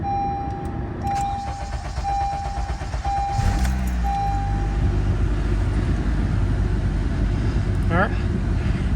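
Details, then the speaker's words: 2013-2017 Honda Accord after replacing the high-pressure fuel pump (P0087), fuel pressure relieved: starter churns a few seconds, then the engine catches and settles into a steady, even idle; normal start. "let let go ahead and start it up all right because we relieved pressure on the fuel system it may take a little bit it might be an extended"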